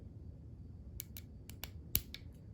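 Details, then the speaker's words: Porsche 944 windshield wiper motor removed and bench-tested on a battery: sharp dry clicks with no running hum, motor not spinning; suspected seized or broken, to be repaired. "okay I can hear the motor clicking but it's not spinning so that means it's seized up it's broken and we can fix it"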